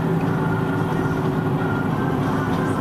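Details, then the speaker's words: Worn wheel bearing while driving: a steady whirring drone under road noise worsens turning one way and nearly disappears turning left as weight shifts right, confirming the worn bearing is on the side opposite the turn direction. "now it's very obvious in the vehicle that as I turn to the left putting the weight of the vehicle on the right the whirring noise has pretty much disappeared confirming what I talked about with the fact the wheel bearing of the"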